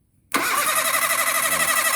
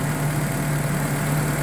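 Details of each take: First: Perodua Kembara cranked via a wire run from the starter solenoid terminal to battery positive with the key off: steady fast cranking about four beats a second for nearly three seconds, never catches. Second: Perodua Kembara started with key on via a wire connected direct from the starter solenoid, fuel pump also wired direct: steady, even low idle hum, no knocks, misses or hunting; runs smoothly.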